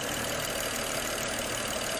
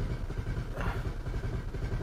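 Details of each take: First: 2010 BMW 535i xDrive wagon (E61), auction car with prior improper repairs, fuel pressure on spec: steady even idle with smooth continuous hiss, no knocks or misses; engine running decently though still slightly rough at times. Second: 2010 BMW 535i xDrive wagon (E61), about 3 gallons of fuel added; long steady cranking at about two beats a second without firing, fuel rail pressure about half of spec but climbing. Weak high pressure fuel pump suspected.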